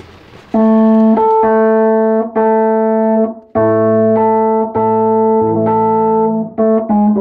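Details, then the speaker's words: 1973 Fender Rhodes electric piano with a newly replaced tine, rust-free so noticeably brighter and more vibrant; bright, bell-like notes ring cleanly with full sustain, no buzz or dull thud; healthy tone. "That sounds the best because it's new. You can tell that particular time's a lot brighter."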